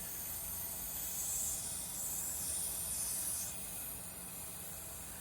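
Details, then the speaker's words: Robinair refrigerant recovery machine under diagnosis: as a tight hose fitting is loosened, a steady high hiss swells then eases, leftover freon escaping that the compressor was unable to pull out. "okay can hear a little bit of leakage just a little bit of freeon escaping"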